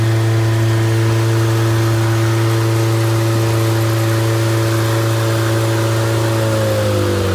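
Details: Completely rebuilt MG Midget 1500 engine (~1978-79), bored 0.020 over, flat-top pistons, 270 cam, 9.5:1 compression, run-tested unmuffled: steady even four-cylinder run, slight rev rise near end, no knocks or ticks; healthy fresh engine.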